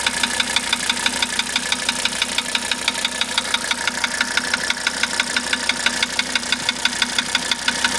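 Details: 1985 Mercedes 300D diesel idling after starter rebuild, valve adjustment, new glow plugs and diesel purge: crisp, regular tap about three times a second over steady idle, unrelenting; knock source unclear.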